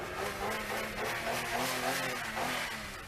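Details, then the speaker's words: Used car previewed at a dealer auction, body rough with a damaged front end. The engine revs cleanly and smoothly with a steady, even note and no knocks or misses; judged a really good running car. "To be quite honest, what I believe you've got here is a really good running car like this here."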